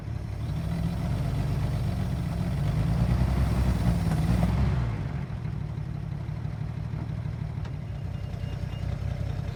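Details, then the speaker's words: Circa 1940s Chevrolet CMP Blitz truck six-cylinder, after sitting 20 years, running on a temporary fuel tank after oil, water and battery checks. Deep, steady idle with an even low rumble and no knocks or misses. "we go everybody sitting for 20 years with just a few basic little checks starts and runs runs beautifully listen to that sound of the six cylinder chevy engine"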